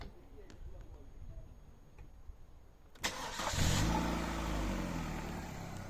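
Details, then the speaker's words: Gasoline 1.6 engine, 200,000+ km, hot start after replacing hydraulic lifters and valve cover and adding an oil additive: quick crank, then smooth steady idle with no lifter tick; ticking now only suspected on cold starts. "Все гидрик у меня перестал стучать и сейчас Если не ошибаюсь он стучит только когда машину заводишь на холодную"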